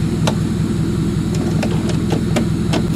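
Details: Demolition derby car with the starter bypassed by a hot wire: engine restarts in drive after being shut off and settles into an even, steady idle with a soft regular pulse, no misses or knocks. Normal idle.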